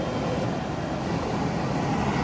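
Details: 1972 Mustang R-code: a brand-new heater blower motor with a reconditioned switch is tested after installation. A steady, even rush of air from the blower on high with no ticking, rubbing or squeal; the fan motor runs healthy.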